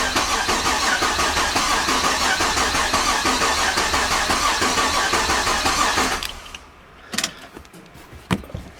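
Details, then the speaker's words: 1999 Holden R8 Clubsport, Gen III LS1 V8, after a cam swap: fuel pump fuse pulled, cranking to build oil pressure before first start; steady cranking about three turns a second for six seconds, no firing, oil light goes out. "Okay, so now I think we'll just crank her over and make sure the oil light goes out, make sure it cranks. And I saw the oil light go out."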